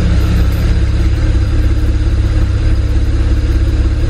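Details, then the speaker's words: 2008 BMW 335i N54 twin-turbo inline-six heard at the rear: lumpy, choppy idle pulsing about three times a second, smoky and super rich. Failed bank 2 sensor 1 oxygen sensor is causing misfires without a check engine light. "can see it's smoky it's a big rich right now super rich it's even hard to breathe back here so it's in full-blown misfire mode right now but not enough to trip a check engine light yeah but it's very choppy"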